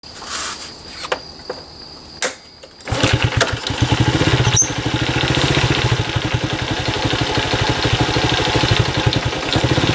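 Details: Honda Cub small single, 65,000 km, checked for abnormal engine noise with compression test: handling noise, then it starts and idles with a quick, fairly steady tick over the putter; cause undetermined.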